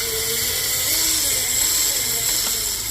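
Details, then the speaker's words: Razor MX500 electric dirt bike upgraded from 36V to 48V with brushless motor kit: high electric whine keeps spinning, dipping as it loads, never cutting out when the rear brake is applied; rear brake cutoff sensor has failed (front brake cutoff works). "you can hear the pull, but it won't actually shut off because this sensor is bad."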